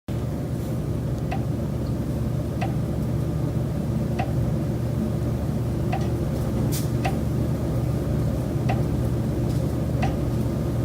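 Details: Steady low rumble in a rented Chicago condo with sharp, fairly irregular knocks about every second, ongoing for months; source unidentified, said to come from the building's common elements.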